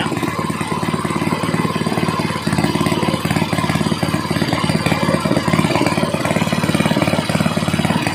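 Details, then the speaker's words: Small gasoline water pump engine at raised rpm after cleaning carburetor to fix misfiring from disuse: quick even firing pulses with no misses or stumbles; running cleanly. "subakan naman natin ditas yung rbm niya Ayun mga Sir okay na okay na maganda na yung andar"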